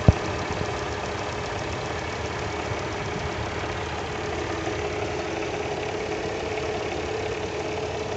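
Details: Mercedes M112 engine at idle: a dull, muffled knock, deeper than a valve tick, described as a strange rattling sound. The source is unknown.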